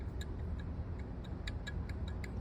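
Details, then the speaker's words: 2002 Chevy Tahoe 5.3L: the old belt tensioner, removed and rocked by hand, gives sharp light clicks from bearing play while the new one has none; the worn bearing possibly caused the belt to fall off. "you guys probably hear that that bearing his play this new one no play so that's either why the belt fell off"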